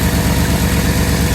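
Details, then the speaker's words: 1989 Bentley Mulsanne S, fuel-injected, at idle: loud harsh puffing chuff in quick even pulses with exhaust smell; exhaust blow suspected at manifold, gasket or crack, quieter once warm. "It's got an exhaust blow coming from somewhere, maybe the manifold. But I can smell exhaust gases, and obviously you can hear that."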